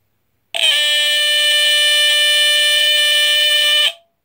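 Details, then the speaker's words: Mid-1970s GE Home Sentry 8201-001 smoke detector (made by EI Electronics, Ireland, for 12.6 V mercury battery, run on a substitute battery) on test: a piercing, shrill, steady Edwards-horn screech for about three seconds, then cut off; the alarm sounds properly. "as you can hear it's pretty high-pitched I believe it is definitely a lot higher pitched than this one the AC model that I made a video of a while ago but it's a really cool sound it's definitely the classic Edwards horn sound that really high screechie buzz"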